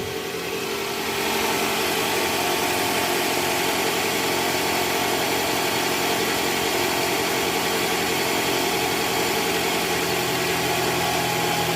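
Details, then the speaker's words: 2013 Toyota Alphard, 2AZ-FE engine, after replacing a destroyed balancer shaft by the oil pan: smooth, even idle with steady hum, no roughness or knocking, unlike the rough sound before; normal idle. "jauh berbeda dengan sebelum kita ganti balancer guys ini bunyinya udah halus sekarang nih"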